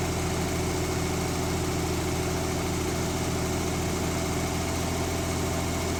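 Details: 1970s Mercruiser sterndrive (slight float drip) being winterized, after a little throttle: a steady, even low rumble with no knocks or misses; warming up with oil pressure and charging good; normal warm idle.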